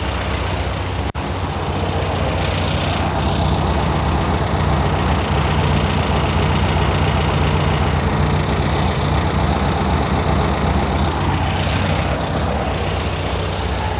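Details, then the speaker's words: 1971 VW Type 3 Squareback air-cooled engine after new valves and 40mm carbs were fitted and the engine reinstalled: steady, low, chuffing idle with an even beat and no bottom-end knock; cylinder one still pulling slightly lower. "because it runs it sounds sounds healthy I'm excited to drive it"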